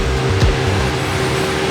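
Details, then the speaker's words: 1976 Bricklin started after installing a new battery and cleaning connections: steady even drone, constant low hum, no knocks or misses; running smoothly, gauges working, no-start blamed on old battery. "She looks like she's doing good. All the gauges are there. She's running pretty smooth, so"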